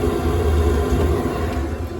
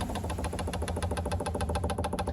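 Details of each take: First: Rebuilt Webasto EVO diesel heater on a narrowboat after a blocked burner: steady low roar, even combustion, no popping or surging, residual damp burning off the cladding as temperature climbs to 65°; running properly. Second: Webasto EVO diesel heater after burner replacement, 60-second fuel prime: rapid crisp ticking about ten per second as the dosing pump runs dry and fast before fuel reaches it; note softens once fueling.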